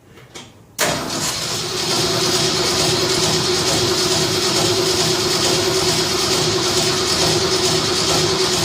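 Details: Shop truck first start after fuel system overhaul with new fuel pump, regulator, filters, intake gasket and carb spacer; cranks to get fuel, then catches and settles into a steady, even run with no misses; normal start.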